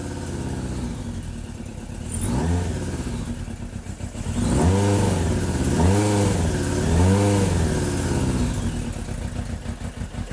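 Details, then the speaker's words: Suzuki GSX600F Katana four-cylinder with rebuilt carbs, after replacing intake boots: hangs at a raised, hunting idle between blips instead of dropping; owner suspects an air leak elsewhere; lean idle mixture. "Still sounds like it wants to idle fast and that my boots didn't work. Which makes me wonder if it's getting an air leak from somewhere else or what is going on."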